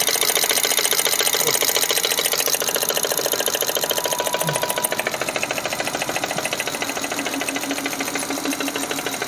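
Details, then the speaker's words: Fuel-injected petrol car engine idling with a fast, rough metallic top-end clatter like a sewing machine; suspected oil starvation of the valvetrain, with oil not reaching the top because of a clogged lubrication passage, not confirmed. "nah dia olinya tidak muncrat yang naik ke atas ya Huh nanti dia ada sistem pelumasan yang tersumbat"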